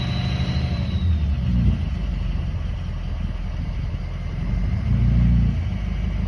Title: 2003 6.0 grinding sound